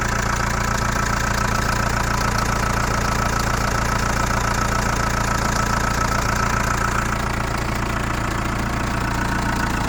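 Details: Chrysler Voyager 2.8 CRD diesel, cold start after sitting a couple of months: cold idle with a steady, even tapping knock about three to four times a second over the clatter; knocking at cold idle, source unknown.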